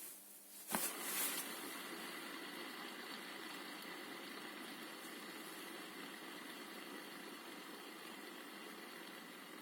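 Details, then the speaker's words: Good wheel hub bearing on a Hyper ST RC car's rear end during a rebuild, spun for comparison against a worn, squeaking one: a flick sets it going and a soft, even whir fades slowly, smooth with no squeak. "so here's the bad one stopped already there it's squeaking a little bit this is a good one"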